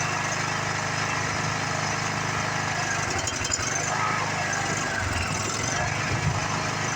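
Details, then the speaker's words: Free Craftsman riding mower that sat in a garage for years, now running after work: the small single runs smooth and even with no knock or flutter. It stopped smoking, starts easily and sounds healthy. "but I did see it stop smoking the engine sounds healthy no Notch no flatter no nothing like that it's not even hard to start like some of these rigs are"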